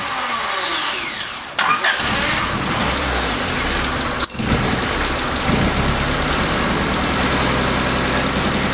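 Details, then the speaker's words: 1988 Honda CRX Si first start after starter swap: catches and fires into a ragged, hunting idle with MAP sensor vacuum line disconnected; check engine code 5 (MAP sensor) set, reconnecting the line didn't solve the issue. "when you saw me start the car this vacuum line here was disconnected and so i reconnected it but it still didn't solve the issue"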